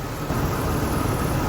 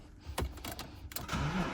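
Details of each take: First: BMW E36 after radiator replacement and coolant refill, coolant system bleeding: steady, even low idle with no knocks, misses or hunting while warming up. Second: BMW E36 after fuel and coolant system refresh, new fuel pump fitted and fuel lines redone: starter cranks with uneven chugging for a couple of seconds but the engine never fires; owner suspects fuel supply or weak battery, not confirmed.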